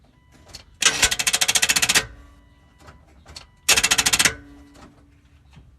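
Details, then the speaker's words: 1984 GMC Jimmy with 350 engine won't start; camera right next to the starter; key turned on, two bursts of fast sharp clicking with no cranking; owner says 90% of the time it's a bad starter, suspected not confirmed. "okay if you ever get in your vehicle and turn your ignition on and it clicks like so in my experience 90% of the time it's a bad starter"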